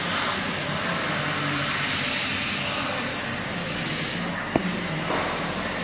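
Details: Hypertherm MaxPro200 on a CNC plasma water table cutting plate; steady loud hiss and roar, even and unbroken, with a sharp pop near the end, normal plasma cut.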